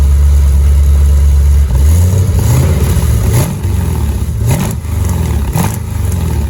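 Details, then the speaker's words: V8 car with newly welded Flowmaster U-fit stainless dual exhaust, Hooker Blackheart mufflers and electric cutouts: deep, even low rumble at idle, then sharp throttle blips rising and falling cleanly; healthy exhaust note. "Whoa. It's a good low rumble."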